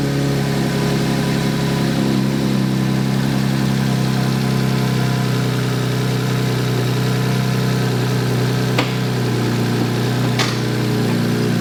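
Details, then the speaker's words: 1JZ-GTE-powered LJ Holden Torana revved up: loud, steady, coarse raspy low rumble with no clear knock, sounding rough and nasty; the mufflers are suspected as poor, unconfirmed. "that sounds really weird eh yeah it's a bit nasty [Music] you give it a little red not sure those mufflers are any good"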